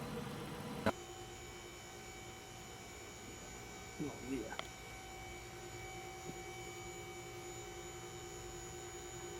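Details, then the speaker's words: 2005 Dodge Magnum R/T, 5.7L HEMI, 123,000 miles, idling: runs smoothly under a faint steady whine from the power steering pump, which needs fixing to pass state inspection. "Well, you can hear a little bit of power steering whine, and that's one of the other things that it's also going to need for Virginia State inspection."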